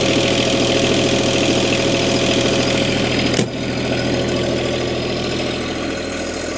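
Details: Bobcat MT100, 3-cylinder Kubota diesel, cold start at about 0°C after a glow plug cycle; catches and settles to a steady, even idle with a firm low thrum, no knocks or misses; normal cold start and idle.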